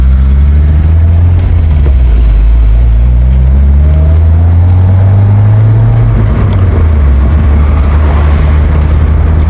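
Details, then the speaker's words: BMW Z3 recorded on the road after diff work: a low droning hum under road noise that rises with speed, not loud and much better than before; the remaining hum suggests a worn rear wheel bearing. "Still a bit of aoom noise. Can you hear it? >> Yeah. >> Yeah. >> Not dead loud, but I definitely hear a soom. It increases the speed."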